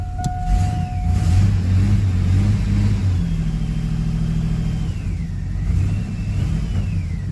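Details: Chevrolet S-10 with consistent misfire, MAF sensor reinstalled; low idle lopes and stumbles with a dead-cylinder hitch; mechanic leans toward a faulty injector dumping raw fuel, not yet tested, cause unconfirmed.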